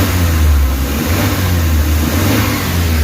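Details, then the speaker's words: Suzuki Carry after an engine treatment, revved to about 2,500 rpm at half pedal: strong, steady drone with no knock or shudder; crankshaft-bearing knock and vibration gone. "Saka yung yung nanginginig wala na oh. Mahimik na hindi na siya nanginginig iataw."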